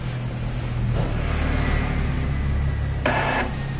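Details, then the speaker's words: Epson L3210 ink tank printer during the initial ink-charging fix: low steady motor hum with a brief whirring burst as the pump flushes and draws ink into the new printhead. Normal charging sound. "Masih terdengar suara di dalam printer itu masih melakukan flushing atau penarikan tinta."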